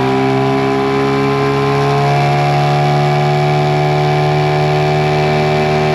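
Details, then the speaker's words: Mercury 9.9 hp two-stroke short-shaft outboard, believed early 90s, after years sitting, with an upgraded carb and plugs. Lake test at wide open throttle under load gives a high, steady buzzing drone, no misses or surging, no stalling; normal full-throttle running. "and the motor doesn't stop stall at all of course when you increase the speed that's where the mirror goes so we're going to test around this motor for a little bit"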